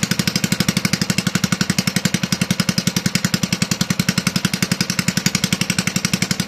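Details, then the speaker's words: Toro 18005 mower engine after carburetor cleaning, oil added and throttle-plate tab tweaked, no governor connected, just a spring pulling throttle shut; steady loud chugging about four beats a second, running ungoverned. "It runs. There's no governor hooked up. It's just a spring on the throttle pulling it shut."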